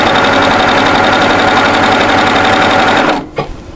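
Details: Baby Lock overlocker sewing a one-needle three-thread rolled hem on the front of a lightweight top; fast, even stitching chatter at a steady rate with a clean high tone, no knocks or grinding, then it stops; running healthy.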